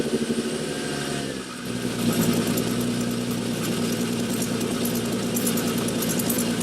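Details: 2003 Winnebago Rialta motorhome engine idling with a fast, uneven ticking puff over the exhaust note; exhaust leak at the failed front coupling by the catalytic converter, coupler to be replaced.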